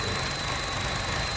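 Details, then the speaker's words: 2011 Chevy idling with a thin, steady high-pitched squeak over the low rumble; a bad gasket or a broken piece is suspected. "You hear the squeaky sound? Once you take that off, what's causing that? Squeaky sound."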